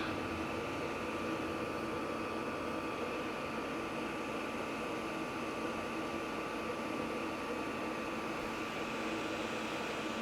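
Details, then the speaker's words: Vevor 8 kW diesel heater on a 12 V power supply at full output, now putting out heat: steady even blower roar with a constant hum and no ticks or surges; running normally. "Oh, there we are, full bore. Oh, now we're getting some heat."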